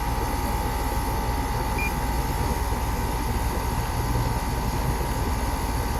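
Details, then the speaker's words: Outdoor AC unit running constantly, fan motor problem with high head pressure; over the steady compressor hum a loose, slightly uneven rattle about three beats a second; compressor rattle, cause unknown. "Something doesn't sound right about that compressor. I see that rattling. I don't know what that rattling is."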